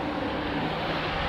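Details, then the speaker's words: 1986 Suzuki Samurai turbo diesel: the electric cooling fan, which had stopped working, now runs with a steady, even rush of air and no rattle or surging after the temperature sensor switch was replaced, so the fan works normally. "what you can hear right now is the fans the fan is working with that new temp sensor so that's good news"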